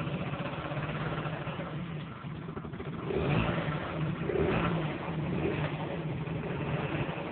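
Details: Honda Dio-2 50cc two-stroke scooter, stock piston, rings and bore, with HHO cell module fitted: buzz climbs and falls cleanly on throttle blips, no misfire or rattle; engine seems more aggressive; normal idle and revving.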